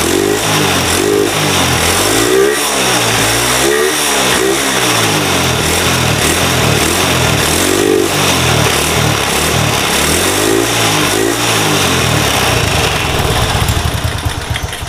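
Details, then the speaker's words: Honda Supra bored to 53 mm with an RVN racing cam and tensioner: repeated clean blips rising and falling smoothly, with intake huff but no piston knock or chain rattle, normal. The carb is still untuned and is considered poor. "tapi Secara mesin ee kesemuanya bersih piston enggak bunyi temlar enggak bunyi ya semuanya normal ya kalau pengin tak sepilkan gas-gasannya kayak gini"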